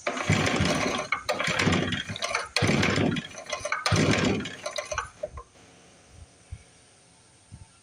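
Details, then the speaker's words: 1955 Briggs & Stratton Model 6 built for Sears, which sat for decades with its muffler in the dirt, fitted with a new spark plug. Four or five recoil pulls, each rasping with a faint pop, no run; the points were cleaned afterwards. Finding: cranking with occasional pops, no start. "sounds like it just pop"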